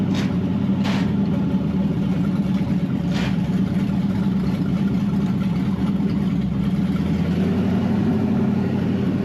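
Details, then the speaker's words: Wrecked 5.0 Mustang bought as a non-runner, running with open headers: steady even V8 rumble with a few sharp transients, no knocking or missing; engine sounds healthy, normal running (second-gear synchro seems unhappy). "Hey, engine sounds healthy though. Open headers, but I mean, the engine sounds pretty okay. So, I'm happy. I can sell this as a good running motor."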